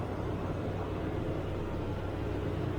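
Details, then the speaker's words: 1993 LSE V8 just after a cold morning start: deep even rumble held at a raised steady speed, fast idle a bit too high when cold but settles; ignition timing to be checked once warm. "a bit too fast on a cold start and it does settle down it's not horrendous"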